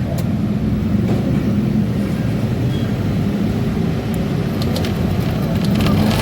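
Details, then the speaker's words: Yamaha Lexi scooter hard to start cold, no engine check light; after cleaning the throttle body with the ISC disconnected, idle is low and lumpy, near stalling; low idle speed, suspected dirty ISC or throttle body. "And this idle is too small."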